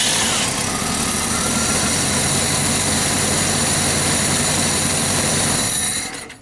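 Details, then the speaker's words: Jeep Cherokee 4.0, due for a tune-up (plugs, cap, rotor, wires): ragged, uneven running, sometimes reluctant to start; grounding distributor wires suggested some cylinders not firing; misfire suspected, not confirmed. "I'm gonna get my assistant Ethan to start it up and you can see how poorly it is running its cows actually gotten to the point where it doesn't want to start sometimes it's running really rough"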